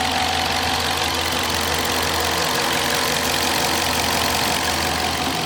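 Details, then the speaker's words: 2021 Dodge Charger Police 5.7 HEMI V8, RWD, 130,000 highway miles, recently serviced: steady even idle with smooth low rumble, no ticking or knocking; healthy engine. "Vehicle doesn't have any funny noises, no funny ticks, and she is in immaculate running condition and shape, folks. Let me be quiet so you can hear the engine."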